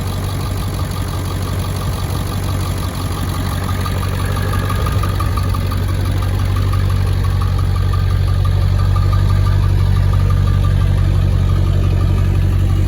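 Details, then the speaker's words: 2002 Ford F-250 7.3L Powerstroke turbo diesel, 236,000 miles, 4.5-inch turbo-back exhaust exiting behind cab: deep, even idle clatter with slight rise in revs, no knocks or misses; healthy engine. "But I'll show you, I'll start it up real quick. Show you guys how good this thing sounds."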